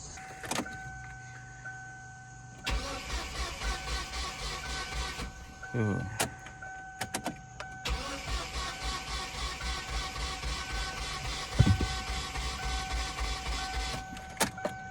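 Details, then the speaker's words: 2006 Kia Sportage 2.7, quit while driving, crank no start: cranking fast and even with no compression pulses, spinning too freely, never catching; broken timing belt. "sounds like it's spinning over a little too easily um say let's check to see if it has spark just in case the cylinders are washed out"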